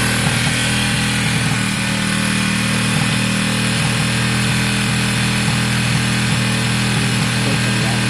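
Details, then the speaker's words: Wk RT 125 single-cylinder motorcycle running after work, choke on: steady quick even beat, quiet and smooth, no knocks or rattles; sounds healthy, clutch not selecting gear thought to be adjustment; normal running. "okay guys as you can hear it sounds great it's very quiet it's smooth the choke is on at the moment um which is fine"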